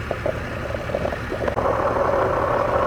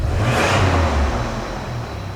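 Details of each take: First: 1999 Toyota Tacoma at idle, P0305 misfire, microphone held to a stethoscope earphone on the fuel injector: only a dull steady hum, no crisp rhythmic ticking as heard on a good injector; injector judged bad. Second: 1999 Toyota Tacoma after replacing the failed cylinder 5 fuel injector (P0305 misfire): quick rev blip rises cleanly and falls smoothly back to a steady low idle with no misfire stumble; engine runs right after repair.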